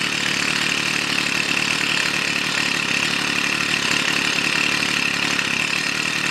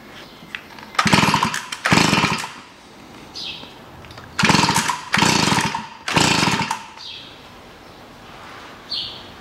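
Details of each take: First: Stihl FS 55 two-stroke trimmer, fixed no-start caused by too much oil in fuel mix (diluted with clean petrol): even high-pitched drone at steady speed, no misfires; normal running. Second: Stihl FS 55 two-stroke trimmer, run the day before then would not start: spark present, plug flooded and dirty; suspected too much oil in fuel mix; each pull sputters about a second then stalls, never keeps running.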